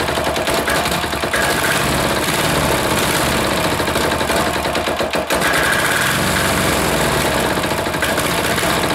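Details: Air-cooled diesel just reassembled, idle adjustment off: lumpy firing with irregular sharp knocks and stumbles, smoke; rough running, owner suspects air in fuel line or leaking fitting sucking air.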